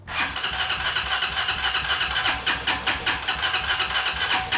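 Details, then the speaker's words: Hawk 250 carbureted Chinese motorcycle, crashed and sat for a year, had idled earlier: the starter churns rapidly at about four pulses a second and it never catches. Crank-no-start. "Now, I will say, earlier I did have this motorcycle idling. However, I tried to start it last night and it was doing this."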